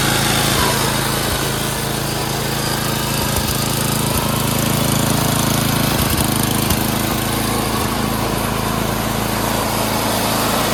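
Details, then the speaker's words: Craftsman 928 snowblower, 9 hp Tecumseh single-cylinder, after carb cleaning, jets cleared, and idle and governor screws adjusted: brisk, steady idle with no rise and fall. Normal idle, surging fixed. "Okay, we did a little idle adjustment as well as the governor screw adjustment, which is right there. Quarter turn on that, so now the RPMs are faster."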